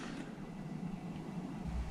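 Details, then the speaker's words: MrCool DIY mini-split indoor unit after fan motor replacement, cool mode with silence button on: soft steady low airflow hum, no rattle, scrape or whine; the old motor was very loud, now whisper quiet. "they also have this little button that's a silence button and that makes it even quieter so that's cool got cool air coming out and that sounds really good to me"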